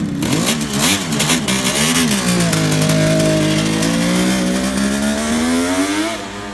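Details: 1971 Kawasaki H1 500 two-stroke triple in cold weather, after fixing a bad spark plug cap and loose ignition wire: crisp, even revs settling back cleanly, firing on all three cylinders with no misses; running healthy.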